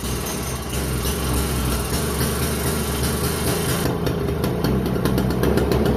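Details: Toro CCR2450, 141cc R-Tek two-stroke on mixed gas, after carburetor cleaning following a no-start: fires and holds a steady, even buzz with music over it, no misfire or surging; normal running.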